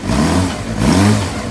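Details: 2007 Suzuki GSX-R600 after CDI/ECU replacement, in what is believed to be second gear with rear wheel rotating, gauges dead: even engine note rising and settling with a short throttle blip, no knocks or misses; running healthy.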